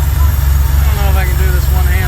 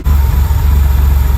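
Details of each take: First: 1979 Porsche 911SC with CIS injection, after the ignition was restored and a bypassing fuel distributor was fixed, then the mixture screw adjusted. Steady, smooth idle at 950 rpm with good oil pressure: normal idle. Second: 1979 Porsche 911SC CIS, after fuel distributor repair of a no-start: deep idle with slight rhythmic swell; needed almost a full turn on the mixture screw and about another eighth, then settled at 950 rpm idle.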